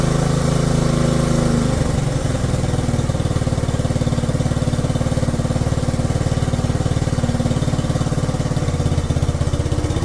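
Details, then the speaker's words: 1967 Honda CT-90, about 2,700 miles, aftermarket carburetor, in neutral, just kick-started: low, even putt-putt at steady idle with no misfires or mechanical clatter; running healthy, though throttle sticks. "Look at that. Purring like a kitten. Gotta love it. Wow, that was only a couple of kicks too, not bad. Looks like it's running really good."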